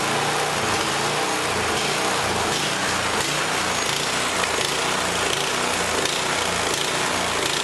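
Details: MTD Yard Machine snowblower with a 179cc four-cycle overhead-valve engine and electric start, run after the governor springs, throttle, choke and primer line were reassembled: uneven beat with speed hunting about once a second, like a lean carburettor; cause suspected, not confirmed.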